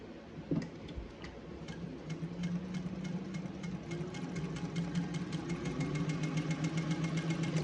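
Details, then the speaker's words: Singer 201 sewing machine after rethreading and reinserting the bobbin, needle started down: even, quick ticking about three to four stitches a second over a steady motor hum, speeding up smoothly; now feels and sounds much better. "feels much better and it sounds much better."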